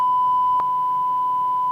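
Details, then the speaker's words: 1990s Micromega Duo Pro 2 DAC, after repair of a background-noise fault traced to a dried-out capacitor: steady pure tone near 1 kHz, almost no hum or hiss, one brief click; output now clean. "mais néanmoins il n'y a plus de problème il n'y a plus du tout problème de le défaut comme il y avait à bord évidemment"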